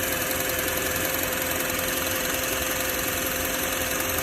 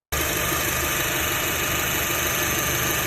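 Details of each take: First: Car engine idling in car after replacing the belt tensioner pulley, which had caused belt-side noise; steady even idle with smooth hum, no squeal, rattle or chirp; owner feels slight improvement. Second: Idling car engine before tensioner pulley replacement; busy, rough rattle and hiss through upper range over steady base; owner attributes noise to worn belt tensioner pulley bearing; worn belt tensioner pulley bearing.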